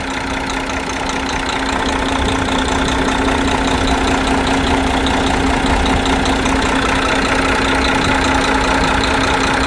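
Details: DAF 95 truck diesel engine after major overhaul, idling: even, steady diesel clatter with constant hum, no uneven beats or knocks; healthy idle.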